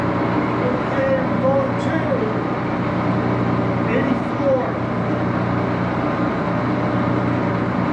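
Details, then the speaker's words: Axelson 14x30 heavy-duty gear-head lathe, headstock on AW68 hydraulic oil, being run through its gears: steady, fairly loud gear hum and whir at even pitch, no knocks or grinding; noisy but normal. "it is a little bit of a noisy machine Let's Start It Up"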